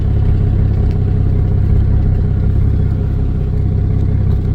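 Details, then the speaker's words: Vehicle with cracked exhaust manifolds after exhaust repair, test drive: low, steady idle rumble with even beat and no ticking or puffing; much quieter than before. "yeah now she's sitting here burning like a kitten much quieter if you watch the first video you can see how loud it was"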